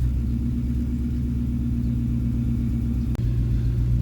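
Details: 1994-2004 Ford Mustang started right after fuel pump replacement and priming the fuel lines: deep, even idle with steady firing and no misses or knocks, one brief click; healthy smooth idle.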